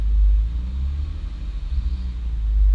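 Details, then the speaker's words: Modified 2006 Honda Accord J30 with nitrous, dual throttle bodies and Hondata Flash Pro tune; low idle rumble swells and sags every second or so, like a vacuum leak; surge blamed on corrupted ECU tune, seen before. "It's done this before on the fucking tune, man. Like, the tune has been corrupted before and it's fucking done this."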